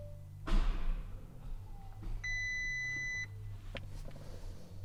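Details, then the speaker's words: Crashed Audi R8, pyrofuse bypassed, ECU updated, 13 volts present: starter gives single heavy thunk, engine barely turns then stops, warning beep; crank no-start, previously only clicked, owner suspects immobiliser, airbag and system fault warnings shown, unconfirmed. "Like the engine wants to turn over. Like before it would just click, but now the engine ever so slightly turns over. You can hear it like the engine turning over, but then it just kind of it's like it feels like it's getting immobilized."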